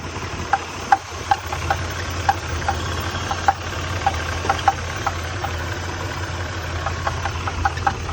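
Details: 1993 Nissan Pathfinder: sharp, slightly uneven ticks, about two or three a second, stand out above a steady idle; an engine knock of unknown origin.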